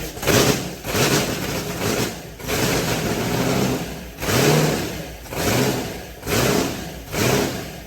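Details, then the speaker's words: White Trash's freshly built engine with the tuner connected: it fires and idles with slow rhythmic surges about once a second, trying to pull the throttle open itself; no knocking or ticking, oil pressure present though the gauge cluster is bad. "so it's trying to suck the throttle open by itself she sounds good"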